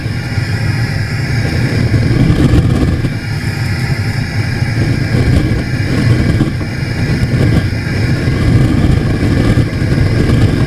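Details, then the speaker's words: Small sprung-arch stoneware kiln, raw pots, fired aggressively with a blower-fed burner: steady deep roar with constant airy rush, no surging or rattles; normal burner operation at high fire. "like i said i don't want to go too far with this pretty aggressive right now looks like this fan is going off"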